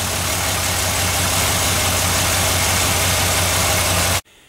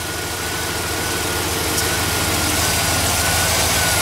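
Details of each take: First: GMC Denali petrol engine after serpentine belt, oil and filter change, idling with a steady, even rumble and no lifter tick; it ticked briefly when first moved, then the tick went away. A couple of exhaust leaks are audible and it smokes blue. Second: GMC Denali V8 first run after repair, with new serpentine belt and fresh oil and filter and earlier ticks gone: fast, steady puffing pulse over a rough idle rumble from a couple of exhaust leaks.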